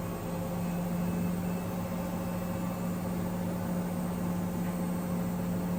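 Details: Ipso ILC98 washer spinning a small towel load on a 60°C whites wash after long unbalanced-spin attempts: even motor drone with a faint steady whirring hum. Worn motor bearing noise.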